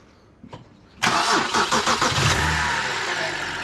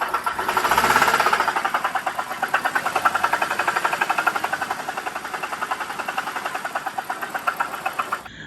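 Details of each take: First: BMW E92 325i N52 started with the AC compressor belt removed: the engine cranks, catches and settles into a smooth, quiet, even idle. The horrific knock with the belt on is traced to the AC compressor. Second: BMW E92 325i N52 petrol engine revved with AC compressor belt on: loud, rapid metallic knocking, about four per second, from the damaged AC compressor; quiet once the belt is removed.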